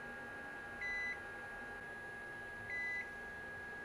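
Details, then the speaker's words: Winner Pro (RCT/Mecer) line-interactive UPS alarm buzzer made softer by covering its opening with double-sided tape inside the case; two short, soft beeps about two seconds apart over room hum, alarm still sounding but muffled. "Right, so that's significantly softer. Remember that I only do this because I'm close to the UPS. I'm not disabling the alarm completely, it's just I'm making it softer."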